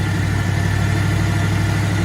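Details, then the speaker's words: 1994 Ford F-150 5.0 V8, aluminum heads, Paradigm supercharger; TPS, IAC, ICM, computer, plugs, cap, rotor, wires, injectors replaced: lumpy, uneven rough idle; runs better above certain rpm, worse with AC on, cause unknown. "um it seems to just idle rough and I can't figure it out so maybe some help from you guys could help me out obviously we have spark we have fuel pressure for some reason it when I rev it up or I'm going above a certain RPM it runs better than idle idle is the only issue"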